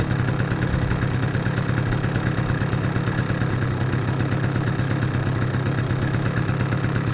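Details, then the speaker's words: Two-stroke scooter with a carburetor problem, warming up on choke: buzzy idle sitting slightly high and slow to drop revs. The mixture is still lean even with the choke on, which shouldn't happen. "Даже я бы сказал, что все равно смесь бедноватая, даже с подсосом. Почему? Потому что мотор медленно сбрасывает обороты, и холостой ход у него такой немного завышенный получается."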